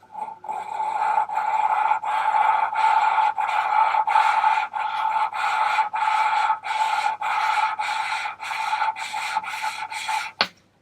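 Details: VW T4 2.5 TDI ACV cylinder head, valves being hand-lapped with fine grinding paste after coarse: rhythmic back-and-forth rasping strokes under two a second, turning smoother and quieter as the valve beds into its seat.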